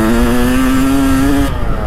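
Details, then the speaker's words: 1992 Kawasaki KX250 two-stroke, after carburettor cleaning and fresh fuel, riding: crisp note climbing smoothly under throttle with no stutter or bogging, then backing off; pulls hard, carburetion clean and healthy. "Ai että tää lähtee kuin hauki rannasta. Tää on kyllä, tää on mielettömän hullu vehje."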